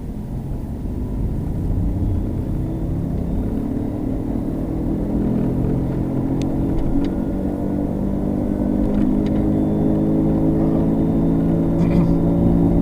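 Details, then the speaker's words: 2007 Subaru Legacy, both front wheel bearings replaced the previous November: on the road a steady droning hum rising with speed, two close tones beating over tyre noise, changing when the wheel is jerked left; worn inner front wheel bearing. "Now, if we take the car, now notice how it changes when we jerk the wheel to the left. So that tells me that's the inner half of your wheel bearing."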